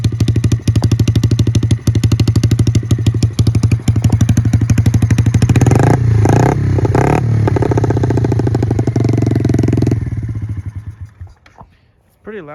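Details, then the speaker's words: 2006 Yamaha TTR50 50cc dirt bike with GTR exhaust, after carb cleaning, new battery and air-fuel mixture adjustment: loud, even single-cylinder putter at a steady idle with no misses or knocks, then shut off; running normally. "dirt bike fires right up I was playing with the air fuel mixture cuz I'm not sure exactly if it was set right but does fire up"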